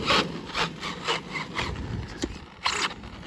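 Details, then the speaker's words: Traxxas Maxx V2 RC truck fitted with a large 8000+ mAh battery, after a heavy rear-biased landing. Short rasping grinding bursts with each throttle blip suggest a stripped plastic spur gear or a dislodged pinion. "nail it yeah it stripped it so it's either strip the spur SP or the pinions come loose"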